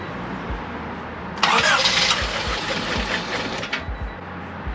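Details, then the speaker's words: Honda Civic on first start after a rebuild with new timing belt, water pump and adjusted valves: the engine runs rough and lumpy, stumbling and dying after a second or two; misfire. "once we overcame the hurdle that was me not plugging in the distributor correctly we were then chasing this misfire that was causing the engine not to run for more than a second or two"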